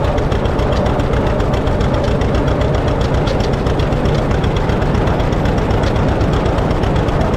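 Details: 1950 John Deere D, reassembled after fixing a corroded exhaust valve and a blown head gasket: heavy deep two-cylinder thump fairly steady; throttle jumps revs far too quickly, owner suspects the governor needs adjusting.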